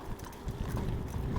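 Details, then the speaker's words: IENYRID M4 PRO S+ MAX electric scooter (48V 800W) on a gravel and dirt path with holes and puddles: irregular hollow clacks from the front suspension fork knocking over a low rolling rumble. "donc franchement rien à dire et je pense que vous entendez encore la fourche"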